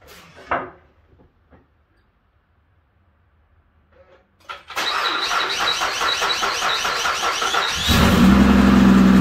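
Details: 2012 Mazda 6s 3.7 Duratec V6, first start after water pump and timing chain service with power steering fluid drained and refilled: cranks and catches, then a steady low groaning drone over idle as the power steering pump grinds on trapped air.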